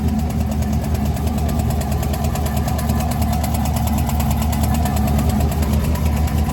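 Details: 2016 Chevrolet Camaro 6.2 LT V8 with DOD (AFM) delete, 82,000 miles, loud exhaust, cold start: fast light ticking about three a second over a loud rumbling idle; lifter failure despite the delete.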